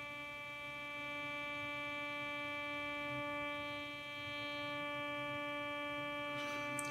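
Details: Computer monitor switching power supply, likely switching around a few hundred kilohertz, received on an indoor loop antenna with an AirSpy Discovery: steady buzzy hum with a stack of fixed harmonic tones; switching power supply interference.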